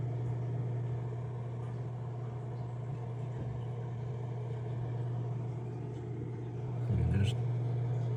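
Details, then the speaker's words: Fluval FX6 canister filter, a second unit used for comparison. A steady low even hum with no chatter or rattle; the motor is running normally. "definitely sound coming from it that's how you can tell that it's actually working but there's no chattering no abnormal noise from this one"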